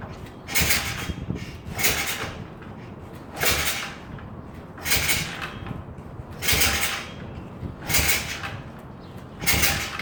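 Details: 110cc SSR four-stroke 4-speed pit bike after oil change, fresh gas, carburetor and spark plug cleaned: repeated kick-start strokes, each a hollow clunk with no firing; still won't start, cause unknown.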